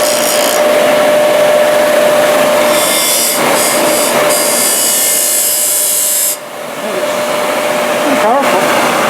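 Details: Used 1998 Workforce 8-inch bench grinder, 120 V 5 A, with wire brush and stone wheels: steady whir at constant tone from the spinning wheel, no knocks or scraping; normal running.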